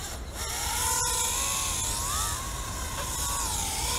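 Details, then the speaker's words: Mobula 6 FPV drone flown outdoors at about -40 to -44 °C: thin high motor whine near one kilohertz wavering with throttle during a brief lift, then the cold-weakened battery dies and motors stop. "spin that's all it's going and then it died just can't handle that kind of cold"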